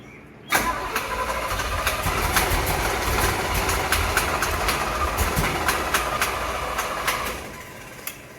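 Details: 1975 Chevrolet C10 engine, fuel pump diaphragm found bad: starter grinds slowly, compression beats roughly every half second, uneven pace, no throttle input; engine never catches. Slow cranking, no start.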